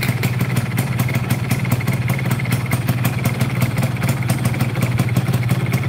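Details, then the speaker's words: Yamaha FZR motorcycle, hard to start when hot, runs hot, rough clutch, weak pull: uneven idle with a sharp rattling knock about twice a second from the middle of the engine; worn connecting rod big-end bearing. "terus ada suara getar tengah ya di bagian tengah kalau di area piston nggak begitu kedengeran ya karena ketutup sama suara yang di sini"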